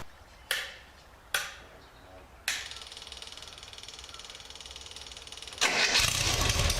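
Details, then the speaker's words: Swift FF95 Formula Ford, stone cold first start: a few clunks and quick ticking, then it catches at once and runs strongly. It had previously been hard to start. "is thats pretty good pretty happy with that I think uh that started straight away really surprised with that"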